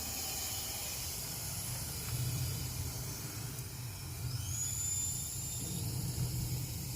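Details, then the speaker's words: 2008 Toyota Camry, towed in, no start after running low on oil: engine stopped, number 1 cylinder at TDC with air fed in via compression hose, steady airy hiss escaping into the crankcase; compression leaking past rings, cylinder walls likely trashed. "And that feels like it's just coming out of the crankcase. So that looks like, more than likely, the cylinder walls are trashed."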